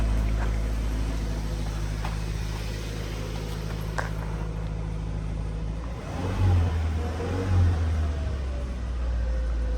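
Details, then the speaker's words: 2015 Subaru Forester after replacing a bad, loud putting muffler with a Walker Quiet-Flow muffler: deep, even rumble swelling smoothly on revving and settling back, no rattles or blowing; exhaust sounds normal and quiet. "sounds normal it's flowing guys it's working"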